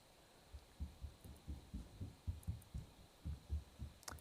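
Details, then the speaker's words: Speaker audio while testing a ClearClick HD video capture box with a gaming laptop whose fans run constantly: soft, slightly uneven low thumps about four a second, a rhythmic clicking from the speaker, cause not found. "okay yeah we should have some games on there now i'm hearing a lot of clicking coming out of the the speaker"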